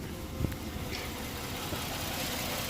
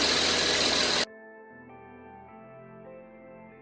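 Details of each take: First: 2008 Ford Edge 3.5L V6, 122k miles, idling with the check engine light blinking and long-term trim adding 25.8% fuel. Uneven, stumbling idle with dips in the hum. The injector signal, believed to be number three, shows it misfiring; the injector needs replacing. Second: 2008 Ford Edge 3.5L V6, 122k miles, idling after work on the cylinder 3 injector for a lean condition and a flashing check engine light. Smooth, even idle with a steady low hum, no stumble or shake. The engine runs well with no injector symptoms.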